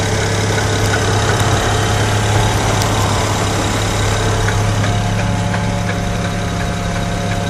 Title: 2008 n54 335i knocking noise.